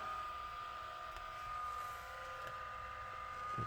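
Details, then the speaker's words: ASUS GL504G laptop fan: a constant airy whir with a thin high whine. It gets noisier as it spins faster, then stops and restarts on its own. The technician suspects the customer's use of canned air damaged it; a worn bearing is possible but not confirmed. "so when it spins faster and faster it'll get noisy and then the fan will just stop spinning and then it will start again"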